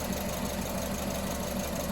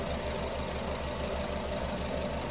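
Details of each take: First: Petrol engine idling with an uneven, stumbling rhythm, missing a beat from a deliberately induced misfire during a secondary ignition waveform test. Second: Car engine with coil-on-plug ignition at idle after the number 1 injector connector is refitted, ending an induced lean misfire: low, steady idle, even pulse about five a second, no stumble; all cylinders firing.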